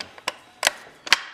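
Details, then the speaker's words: Reassembled Honda K-series 6-speed manual transmission on the bench, selector moved by hand through the gears: four crisp separate clicks, each gear snapping cleanly in and out; shifting properly. "can hear it clicking in and out. So it's definitely shifting gears."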